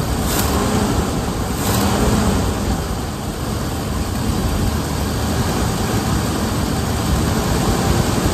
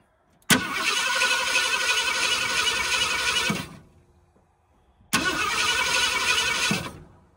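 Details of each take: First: 1978 Ford Bronco Ranger XLT with the 400 V8, first start after sitting 20+ years, on a fresh battery: steady, even rumble with an unbroken idle rhythm and no knocks or misses; running healthily. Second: 1978 Ford Bronco Ranger XLT 400, sitting 20+ years: two three-second bursts of steady, even cranking at about four turns per second without catching; spark is confirmed and the owner suspects the ignition timing is off; crank, no start.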